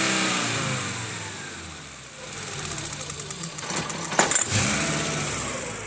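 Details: 1995 VW T4 2.5 L ACU engine, warmed up, coolant temperature sensor replaced by an adjustable resistor to simulate heat: idle sags and surges with irregular stumbles. It runs rough or stalls at operating temperature, from about 83°C; many parts were already replaced, cause unfound.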